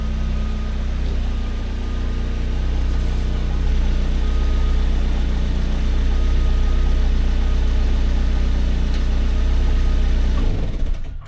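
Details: Opel Corsa B with a rusty exhaust pipe, before repair: steady, deep idle with a rough, puffing throb underneath that sounds horrible; exhaust leak from the rusted pipe, flexi section apparently not leaking.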